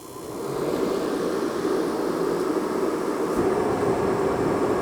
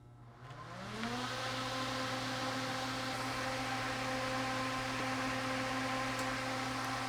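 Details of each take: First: Mr. Heater propane torpedo heater after replacing the ignition module: igniter clicking, then even steady roar of burner and fan, no sputtering; running normally. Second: Mr. Heater propane torpedo heater not igniting: fan spins up to a steady whir and hum but no ignition whoosh; no voltage at the igniter red wire, so the ignition module is bad and sends no spark signal.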